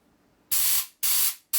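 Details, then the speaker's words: 2001 Gilroy Indian carburetor choke circuit, opened up with a bigger nozzle after low flow: three strong, full air bursts rush cleanly through the passage with no sputter; circuit now open and flowing freely. "Oh yeah, that's got some air through that."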